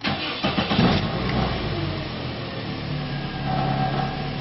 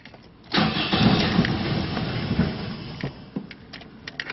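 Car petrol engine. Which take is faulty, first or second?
second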